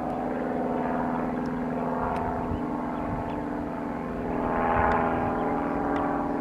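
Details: Piet aircraft in flight with rebuilt engine (max rpm 2525 or better): steady deep, growly propeller drone at even pitch with slight swells, louder, deeper and growlier than before rebuild, better climb; healthy normal running.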